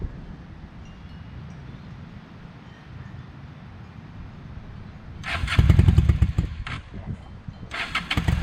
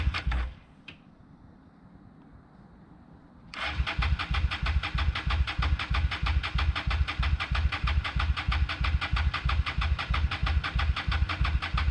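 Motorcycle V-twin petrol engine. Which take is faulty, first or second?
second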